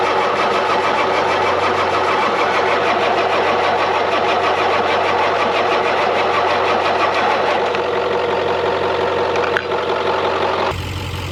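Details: 1996 Ford F-250 7.3 Powerstroke with veggie oil conversion, sitting 10 years: steady cranking for ten seconds that never catches; front fuel tank possibly empty and glow plugs were off, starts once both addressed.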